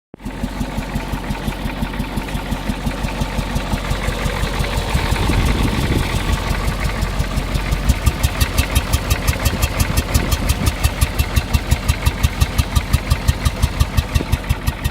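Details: Sharp, regular ticking of roughly three per second over diesel clatter at idle on a Ford 6.9 IDI diesel, apparently coming from the air cleaner area; cause unidentified.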